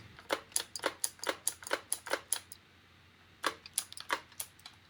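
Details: Spyra 3 electric water gun, unused for a while, showing E1 error and shooting no water after charging to 99%: only sharp dry clicks on each trigger pull, no pump or water sound.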